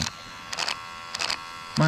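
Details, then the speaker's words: Honda driver's power window motor tested with power on: short bursts of harsh buzzing grind then a louder strained whir; the motor is failing internally and only runs down, not up, so the window regulator isn't the fault. "all right we got the juices on we got the door panel on and we got a little motor here oh yeah hear it she was not happy with life"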